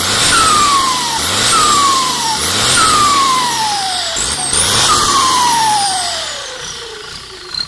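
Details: Thai AR42 racing turbo for a six-wheel tractor, tested before shipping: each rev blip brings a loud rising turbo whistle that falls as revs drop, repeated four times; strong, healthy spool hiss.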